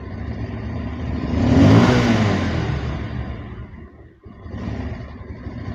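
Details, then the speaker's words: Bajaj Pulsar 150 BS6 fuel-injected bike, before repair: engine revs toward about 2000 rpm, then sags and slows down, bogging instead of picking up and stalling; idle won't hold. "2000 RPM கிட்ட போயிட்டுருக்கு. அது அப்படியே மெதுவாக slow down ஆகிட்டு அவ்வளோதான், of ஆகிடுச்சு. இதுதான் complaint. அதெல்லாம் வண்டி வந்து பிக்கப் ஆகலை."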